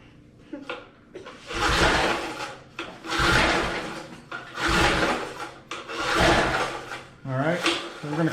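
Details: 1988 MTD garden tiller with 3 hp Briggs & Stratton, not run in decades: four or five long raspy recoil cord pulls about 1.5 s apart, engine turning without firing during compression test reading almost 60 PSI.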